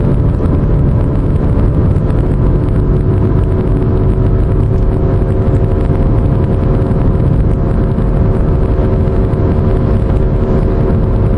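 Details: Pontiac while driving at cruising speed: steady droning hum like an airplane over road rumble; owner suspects a bad wheel bearing.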